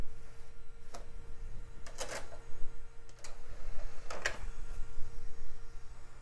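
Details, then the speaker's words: CD burner in an early-to-mid-2000s PC: faint motor hum with sharp, irregular ticks and clicks as it tries to read a loaded disc; the drive fails to read and is broken. "loaded the label but it sounds like it's having some trouble it's getting real Ticky in there yeah I guess that thing's not having a good time"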